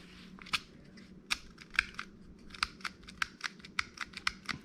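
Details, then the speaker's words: 2010 Chevy Malibu turn signal switch giving uneven sharp plastic clicks and pops when worked left and right, never latching; the worn switch was replaced with a new one. "know you go left and you can hear it clicking and popping when it goes right"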